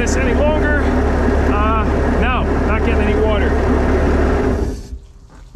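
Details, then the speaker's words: Vintage Caravelle boat with an inline-six engine, sitting since the 90s, running after a hot-wire to the coil. A steady, even low rumble with a smooth firing rhythm and no knocks; it runs cleanly. "you know that is so smooth compared to a four banger I've never had an inline six in a boat"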